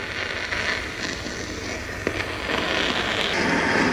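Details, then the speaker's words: Ultrasonic gooseneck leak detector probe on an HVAC system: a crackling hiss grows louder as the probe closes in and peaks at the leak; a major refrigerant leak, and the system needs replacing. "what you're hearing now is the leak itself we're gonna move the probe around in multiple different locations until we find out where it's the loudest at"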